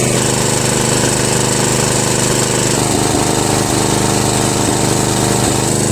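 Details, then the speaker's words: Murray Select 13.5 hp tractor with a repaired Briggs & Stratton single-cylinder flathead (valves ground, stripped head bolt fixed), on its first test drive around the block. Loud, steady drone at full throttle under load, never skipping or hesitating: healthy running. "I'm in the homestretch one more left turn and this thing has not skipped the beat the whole block full throttle the whole time didn't hesitate at all"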